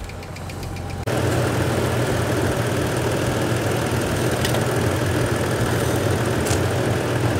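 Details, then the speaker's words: 1986 Nissan 300ZX revived after sitting, oil slightly low, head gasket suspected by seller: engine idles evenly with a light quick tick about four a second; rod knock first suspected, then judged a noisy lifter. "oh my god it idles kind of sounds like it has a rod knock nah that's a that's a lifter"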